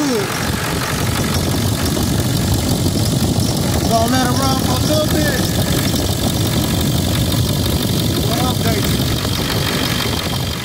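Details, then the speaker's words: Ford F350 Super Duty 7.3 Powerstroke diesel after replacing leaking water pump, broken tensioner pulley and upper hose, coolant refilled: steady even idle clatter with smooth rumble, no misses, leaks or bubbles; normal idle after repair. "hey everybody everything seems to be working properly no leaks no bubbles"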